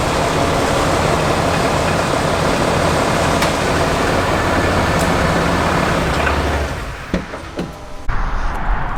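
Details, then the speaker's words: Brand-new replacement Cummins diesel in a Ram HD, about 60 miles, fitted after the original threw a rod through the block at 4000 miles, needing break-in: steady even diesel clatter at idle, no knocking or misfire, then shutdown; healthy. "so what did you guys think about that so that brand new common sound is so good nice and quiet"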